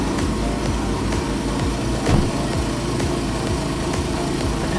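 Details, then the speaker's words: First cold start after reinstalling stock center muffler, removing Sharkwerks center bypass, with repaired cracked side mufflers and bypass; even, throaty cold idle, steady pulse, no ticking, rattling or leaks; much quieter, air pressure audible from the mufflers. "Not silent by any means, but definitely a lot quieter. Less noise, but you can hear the air pressure coming out of the mufflers."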